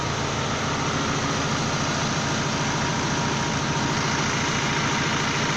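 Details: Manitou MLT 627 diesel after oil filter and both fuel filter changes, fuel system primed with ignition on about 3 minutes; even steady diesel clatter at settled idle, about three or four beats a second, no misses or knocks; healthy.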